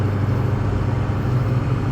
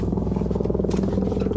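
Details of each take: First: 6.0 truck cruising at 35 mph after repair of grinding and vibration under engine load, windows up; steady low road rumble in the cab, no grinding or scraping, driveline smooth and quiet. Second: 6.0 pickup under way, driveshaft center support bearing with its rubber housing busted up, grinding: rough pulsing drone with gritty rumble, heavy under acceleration and braking, absent when coasting; owner suspects bearing is shot, replacement planned.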